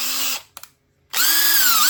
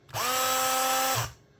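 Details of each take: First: Makita 18V drill that was running slow and smoking, after repair: several clean bursts of steady high whine that spins up and settles evenly, no grinding or stutter; runs normally again. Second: Makita 18V drill: a short burst of steady high whine that sounds slow and strained. The motor smokes and smells burnt; a melted motor is suspected, not confirmed.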